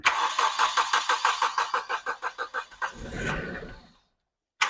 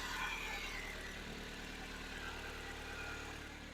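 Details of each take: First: 1995 Nissan Pulsar N15 cranks in two long even bouts, about three beats a second, never catching; gauge reads no fuel despite 3/4 tank plus 10 litres added; fuel problem, owner suspects failed fuel pump. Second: 1995 Nissan Pulsar N15 after a fuel pump repair (pump heard priming): quiet, even idle with a soft steady hum and no misses, knocks or stumbles. Normal idle.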